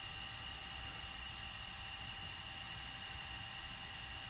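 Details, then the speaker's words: JVC GR-DVM90 MiniDV camcorder, on fast forward: even hiss and faint whir with no clicks or catches, unlike the click of death of later JVCs; the transport works perfectly. "then that's the fast forward. And you can hear no clicking, no nothing, unlike the later JVCs, which pretty much all have what I call the click of death, or the transport just stops working completely."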